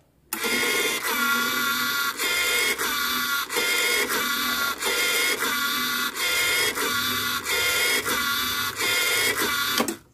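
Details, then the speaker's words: Oki 3000 voltage stabilizer (stavol) reported to trip the breaker: loud whirring buzz cuts out and restarts about every second, carbon brush never settles; servo hunting, suspected brush setting. "ternyata permasalahannya ini enggak mau diam arang karbonnya enggak mau stabil ya"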